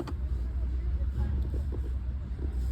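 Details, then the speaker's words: Mahindra Bolero BS6 diesel after repairing a DEF/SCR urea fault (P2BA7, "no start in 590 km"; urea had already been added) and clearing the codes. No check lamp remains. Steady low rumble right after start, with no stumbling, running normally. "गाड़ी start light यब कोई check lamp नहीं है गाड़ी start है"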